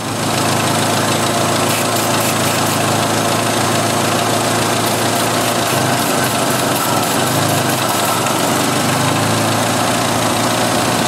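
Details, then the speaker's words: 1986 Jeep XJ 2.5L, running very lean with wrong valve cover and incorrect crankcase ventilation: steady idle sags and slows as brake parts cleaner is sprayed, fuel trim dropping from 150 to 30; third intake runner from front leaking vacuum. "slow down a lot the fuel trim dropped like a brick field trips going down to 30 from 150 so the 3rd intake runner from the front is leaking like a sieve anyway gosh we got another vacuum link what do you know"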